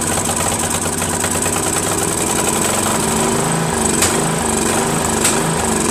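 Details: First run of a Craftsman 13.5HP mid-engine riding mower's replacement engine. It chugs unevenly with two sharp backfire bangs a second apart and runs rough. Owner suspects a slightly sheared, hammered-in flywheel key throwing the timing off.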